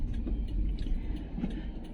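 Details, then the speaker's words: Toyota Avanza after tightening loose door-panel parts to cure a rattle while driving: only low steady road rumble inside the cabin, no ticking or buzzing from the door; rattle gone. "nah Alhamdulillah Enggak ada enggak bunyi jadi ya kalau mau nyerahkan ke pelanggan itu enak ya enggak bunyi ya teman-teman"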